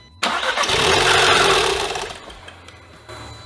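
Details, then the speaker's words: 2015 Audi TTS from a rollover, first start attempt with timing, spark plugs and air filter checked: the engine catches and revs briefly, then dies within about two seconds, repeatedly. Suspected airbag-triggered shutoff. "We obviously have some sort of issue preventing it from running, but it starts. It started five times."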